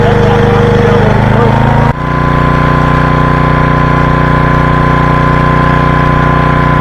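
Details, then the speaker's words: 1985 Briggs and Stratton generator, left in rain for years, revived: small single-cylinder steady drone dipping slightly under load and recovering; producing power normally, later ran out of fuel with petcock off. "that so cool we calling that a success she produced power don't know if you could hear the vacuum she produced power"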